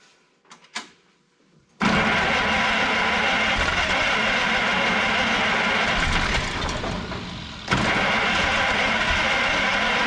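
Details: Old rockabilly rat car after ignition points trouble: a couple of cranks, then the engine catches and settles into a steady, even run with no misfire or knock.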